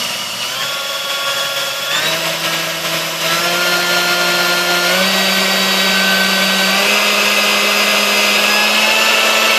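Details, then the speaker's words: Sunbeam Mixmaster 1-7A after cleaning, fresh oil and grease and a replaced resistor; steady motor whine stepping up in pitch through each speed, smoother and steadier than before though slight skipping remains at the very lowest speed, normal running. "it's still got a little bit of skipping in it and stuff but um it's uh it sounds much better"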